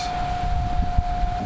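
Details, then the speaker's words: Rescued trash heater's fan motor, rated 6 V 0.42 A, with its faulty switch bypassed by a jumper: a steady mid-pitched hum as it spins up and runs fine, drawing 0.7 amps. "And voila! It's pulling 0.7 amps"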